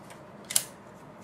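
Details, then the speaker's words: Late final-generation Polaroid SX-70 Model 1 pick arm after lithium grease was brushed onto its tracks; before, it did not click at all. Now it gives two crisp, light mechanical clicks a little under a second apart, the normal sound it should make. "click is the normal sound that it should be making."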